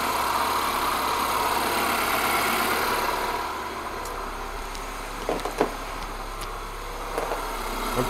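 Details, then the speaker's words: MINI Cooper S petrol engine after repair work: loud and even at first, then settles to quiet, steady idle on all four cylinders; runs very well. "comme vous l'avez entendu elle tourne super bien c'est top je suis super content"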